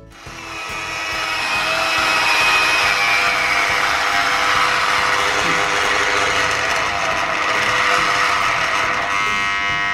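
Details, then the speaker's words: Mollar MG005 130 W mini grinder/rotary tool after repair: front bearing wrapped with paper tape, previously vibrating and slow; now a steady high even whine with no rattle or wobble, running normal and smoother. "Nah, sekarang setelah kita lapisi bearing yang di depan tadi dengan isolasi kertas, dia mesinnya jadi normal lagi, suaranya juga jadi lebih halus lagi."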